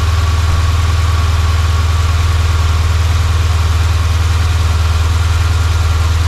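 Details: Dodge Hemi right after serpentine belt replacement: deep steady idle with even beat about four per second, no squeal or chirp; belt drive running quietly.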